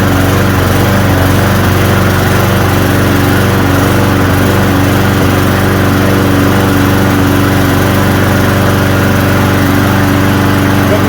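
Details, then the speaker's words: Hyper Tuff small engine after carburetor cleaning and reassembly, with water in the gas suspected as the culprit: a steady, even drone with a smooth firing beat and no surging or misses; it now runs cleanly. "As you can hear, it's running way more than he said it was going to."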